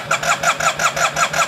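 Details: 2009 Yamaha TMax scooter, neglected project: starter cranks in an even chug, about five or six pulses a second, but engine never catches; spark plugs suspected.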